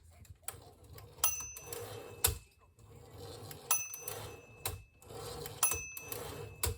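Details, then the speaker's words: Hermes 3000 typewriter after the carriage was removed and reinstalled to cure a grinding carriage: crisp keystrokes and carriage clicks with a clean bell ding, no grinding or dragging as the carriage steps along; normal, healthy carriage movement. "Sounds good. Yeah. The bell works fine. And there's this is a normal and healthy carriage sound."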